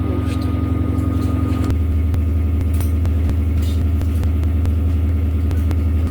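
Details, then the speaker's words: Washing machine on spin: heavy low droning hum with shaky pulsing rumble, drum spinning hard with strong shaking and a loud odd noise; loud spin cycle with strong vibration, cause unclear. "A máquina tá girando aqui, galera, com muita pressão, sabe? Olha, tá tremendo, galera. Mas já faz um barulhão esquisito, que comprova que ela pode"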